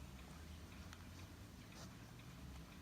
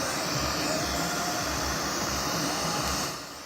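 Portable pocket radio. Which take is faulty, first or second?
second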